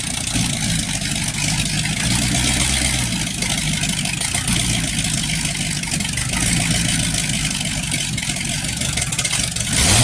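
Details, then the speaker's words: Freshly rebuilt 1960s Chevy 327 carbureted small-block V8, first run with new HEI distributor, cam not yet broken in: steady, even idle with smooth low burble, no knocks or misses; good oil pressure, timing needed no adjustment. "Like you can see, our wonderful friend, Mr. Div's engine is running. Oil pressure. Everything's perfect. Engine sounds good."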